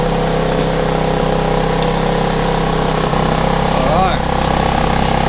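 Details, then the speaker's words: Steady, even hum with constant pitch and no misses or knocks from a small, several-years-old generator running normally after a service, new fuel and choke start, following a flat battery and being left empty of fuel. "alive that's alive ziggy good just marvelous"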